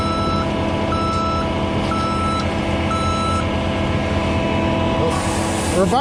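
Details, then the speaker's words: Concrete pump plugged on prime-out with 500 yards to pump; backup alarm beeping about once a second over working diesel as pump is reversed a couple times to pull back mud plug in the line. "yeah you can hear it at the top there's some mud right there reverse it a couple times"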